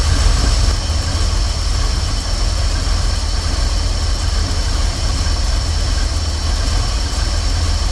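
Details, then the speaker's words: 1988 Chevy Camaro IROC, Tuned Port Injection V8, that stalls with throttle input: low, lazy, slightly uneven idle. With the computer connected, timing jumps between 6 and 12 degrees; with the wire disconnected it holds steady at 6. Cause not confirmed. "all right so I have the Y connected white is connected and it's idling low my timing is jumping from 6: to 12 jumping around all over the place"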